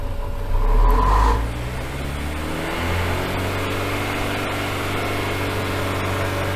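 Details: Engine on a dyno, stuck in limp mode after clearing codes and a battery disconnect: briefly flares, then a flat steady drone that won't climb; suspected the dyno water pumps running added enough load to stop it revving.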